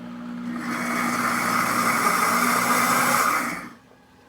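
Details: Pampered Chef Deluxe Cooking Blender stirring and heating strawberry jam: steady, even whir for about three seconds then winds down cleanly; motor stirring normally with no strain.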